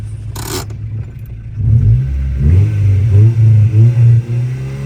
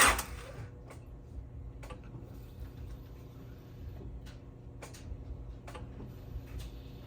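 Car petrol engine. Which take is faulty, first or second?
second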